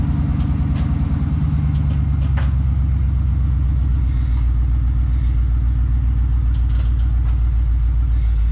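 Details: 1992 Ford Bronco 5.0-liter (5 liter) V8 at idle, runs but doesn't drive, transmission and transfer case without fluid: deep, loud, uneven raw unmuffled rumble; running with no exhaust system fitted.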